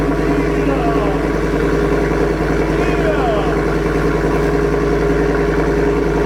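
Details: 2024 Ford F-150 single cab, 5.0 V8, with a newly installed Corsa catback exhaust. A deep, even idle burble with quick blips that rise and settle cleanly, and no ticking or puffing at the joints; normal idle, exhaust sealed.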